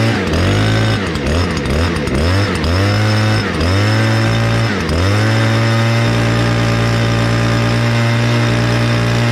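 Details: Stihl BR200 blower with semi-automatic choke, started in 2 pulls: quick blips, then a strong, steady roar with no sag or misfire. Normal running.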